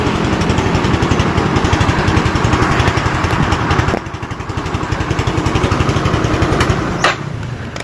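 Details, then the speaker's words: Motorcycle running after refilling a weak battery (was 10 V) with new electrolyte and charging; quick, even firing, steady after a throttle blip. Regulator charging reads 13.5 V, max 14 V revved, under 15 V: charging normal. "Oke, setelah kita gas tadi, maksimal itu tegangan pada aki pengisian menunjukkan 14 volt, tidak sampai melebihi 15 ya. Jadi untuk pengisian ini normal."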